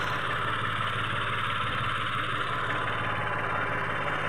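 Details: Mitsubishi Mirage automatic that was cranking but not starting, now finally running after the spark plugs were replaced: a steady, even low idle rumble with no knocks, misses or surging.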